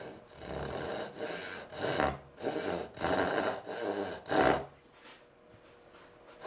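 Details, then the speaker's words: Hand saw cutting dovetails, workpiece clamped too high: steady strokes about once a second with a rough buzzing rasp as the board chatters; lowering it removes chatter and cuts easier. "This is a little too high. And it's just chattering a little bit."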